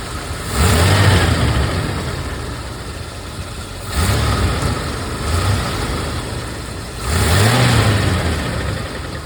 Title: Rolls Royce Silver Wraith II engine rattling sound